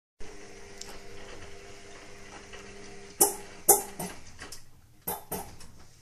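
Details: Indesit WIXL143 washing machine: a low hum, then sharp irregular clicks in the first 2-5 seconds of the cycle, then nothing; the cycle never finishes, with the stain removal, easy iron and door lock lights flashing.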